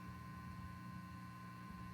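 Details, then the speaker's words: Fender '63 Vibroverb reissue amp, volume fully down and reverb turned up: low steady buzz with a faint higher ring that builds. It goes away with the reverb turned down, and pressing on the reverb tank stops the feedback; cause unclear. "if i turn the reverb down it goes away there is a buzz when i turn up the reverb knob i'm not sure if that's related or"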